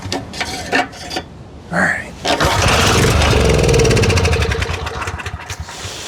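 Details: Storm Responder generator, Briggs 10 HP with clone carburetor, primed with a squirt of fuel and using a substitute for the discontinued governor spring: catches after pulls, runs roughly seconds, then dies, making no power. Cause unconfirmed.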